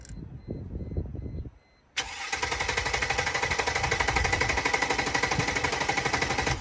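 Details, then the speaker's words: 2002 Mercedes-Benz E320 W210, before repair: steady starter churn at about four beats a second for nearly five seconds, never firing, a crank-no-start. Owner suspects a bad crankshaft position sensor. "I'm gonna try to start the vehicle to show you guys how a bad crankshaft position sensor sounds like when you're having an issue trying to start the vehicle"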